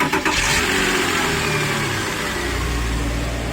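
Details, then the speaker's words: Porsche Boxster 986 during fuel pump and sender replacement: engine starts and runs but a harsh whirring grind persists, heard from the rear, as the sticky starter solenoid fails to retract the pinion gear, which keeps hitting; starter pinion not disengaging. "but before I start the car but actually starter motor was sticky so the solenoid didn't release the actual starter motor the pinion gear so it's actually hitting in the pinion gear so sticky solenoids"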